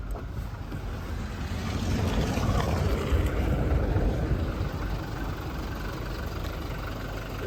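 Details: Toyota Innova Crysta BS6 diesel, about one year old: even low diesel clatter ticking steadily at idle with no odd knocks or rattles, normal for a healthy diesel.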